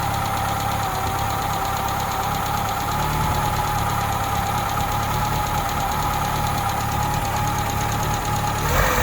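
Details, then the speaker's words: 1984 Holden Drover idling after swapping distributors and fitting a new cap, new plugs but old leads: uneven idle with irregular stumble and lumpy beat, misfire unchanged; leads, then coil, suspected next, not confirmed. "exactly the same with the different distributors so that didn't fix the problem"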